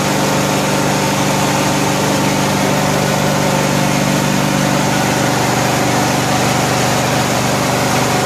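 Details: 1974 Cushman Truckster Haulster cold-started after a wiring fix, fuel pushed up by pressurising the tank: a loud, even idle with a steady low drone and no misses, knocks or rattles. Normal idle.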